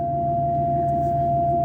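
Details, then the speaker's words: 2018 RAM 2500 ParkSense, which often fails to work after startup, this time working after start-up in the closed garage: clean, continuous mid-pitched warning tone holding steady with no dropouts; sensor sounding as it should (it failed again moments later). "now it's working i can't believe this thing"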